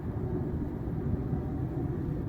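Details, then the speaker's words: Ford F-150 after suspension work and new wheel bearings, driving at steady speed: only smooth, even tire rumble, no growl or hum rising, where a rumble was earlier heard around 40 mph; the noise was probably the bearings; normal road noise. "Ya no se Ya no más le escucho el puro el puro de la llanta."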